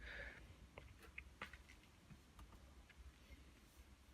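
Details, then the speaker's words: Beko WM85135LW washing machine in a quiet room: scattered sharp relay clicks and a soft clunk with no motor or drum turning. Relays switch but nothing moves, as if trying to agitate without feedback; it sat idle for half an hour. "something small there you can hear that relay clicking and clunk click"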